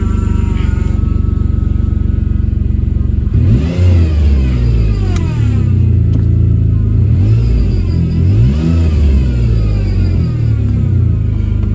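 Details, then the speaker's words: Whine climbing and falling with engine revs from a noisy power steering pump that quiets down as the steering is used. "see if I can get that power steering pump to quiet down it quiets down as you use it [Music] yeah well that's a noisy one"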